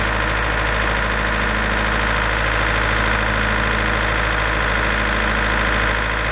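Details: Large auction-bought diesel generator, engine previously repaired, run after adjusting the internal voltage potentiometer toward 240 V (earlier shut down with an error after about 10 seconds). Even, steady drone with a constant low hum, no misses or surging.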